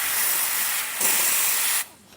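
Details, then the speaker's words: Espresso machine after a tube repair, during a final test: a strong, even high-pitched hiss of steam lasting nearly two seconds then cut off cleanly; normal steam wand flow, though the brew group still makes odd noises needing maintenance. "See, we're getting good steam."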